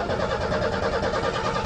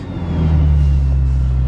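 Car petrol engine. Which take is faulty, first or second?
first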